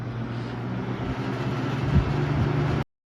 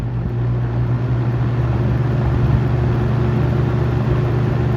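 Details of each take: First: Vintage shaded-pole box fan on high, previously buzzing for no reason: constant low electrical buzz with steady hum under the airflow, no speed change; motor winding buzz from loose stator windings. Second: Vintage shaded-pole box fan on high, a few days after varnishing that cured its persistent buzz: smooth even low hum with no buzz, then gentle wind-down; normal running after repair.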